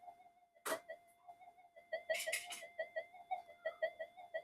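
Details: Old Minelab GP Extreme metal detector on the bench; thin whistle pulsing about 87 times a minute with stray clicks, the "alien" sound with no detection depth, frequency changing when the master oscillator is touched; unstable oscillation suspected.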